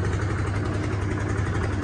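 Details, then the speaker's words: Hisun 550 UTV single-cylinder after replacing the clogged fuel injector and adding a 30-micron fuel filter, quick rev: steady, even thrum with deep low-end pulse, no backfire, pops or misses; runs clean. "oh that sounds good i'll give her a quick rev up for you no more backfire"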